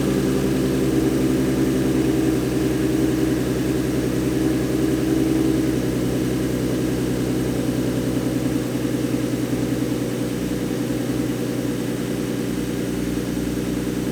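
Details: 2014 Ford Mustang 3.7L V6 idling after replacing the old-design water pump that caused knocking/grinding pulley noise and refilling coolant: smooth steady idle with even low hum, no squeal, rattle or grinding; sounds healthy, noise gone.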